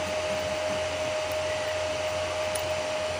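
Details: Home-built 15 A CT 55 power amplifier with an MCRD V2 driver, just powered on via MCB: steady even whoosh with a faint constant hum, no rattles or ticking; a bit noisy because of its four cooling fans, which run normally.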